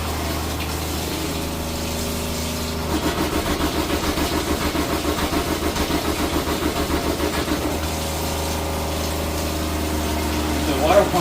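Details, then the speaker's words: Seaflow water pump on a switch in a food truck, water heater also on: a quick even pulsing buzz over a steady hum, running about five seconds then fading; the pump works normally. "there you go there's your water pump you can hear"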